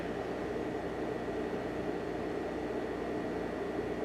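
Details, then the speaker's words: Optoma X600 DLP projector after repair of a detached door switch, plastic damage and fans: on startup the cooling fans come on with an even, smooth airy rush and faint steady tone, no rattles; normal fan operation. "Everything should fire up in a second. There it goes. Fans just came on."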